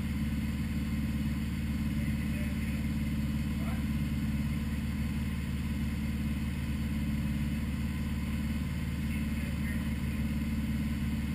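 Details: 1980 Honda Goldwing GL1100 first start after carb rebuild fixing rich running: new idle screws set to 1-1/4 turns, floats set to 15.5mm; steady low idle rumble, even beat, no misses.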